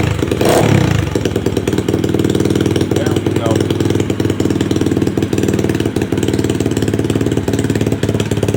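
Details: Customer's second SSR pit bike after carburetor rebuild, which previously started only with starter fluid: now running without it, the small single putters at a steady, even idle with no misses or hunting. Normal idle.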